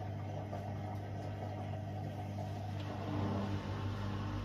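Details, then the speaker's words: Bosch Serie 4 washing machine, 4 months old, 30-minute super quick wash, first pump-out at about 17 minutes; steady low even hum of drain pump, healthy and unstrained. "so it's just started pumping out for the first time right on about 17 minutes"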